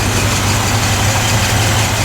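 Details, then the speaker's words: Stored engine after more work, now running nice: deep steady rumble at even idle with no misses, knocks or ticking; warmed to temperature, oil pressure good, charging system working. "well I put a little more time into it and it's running nice now so uh let's have a listen to the engine"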